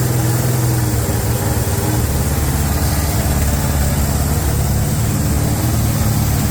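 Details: 350 V8 being broken in on a Larin engine run stand with electric fuel pump and fan: deep, steady idle rumble with an even beat and no knocks or misses; normal idle.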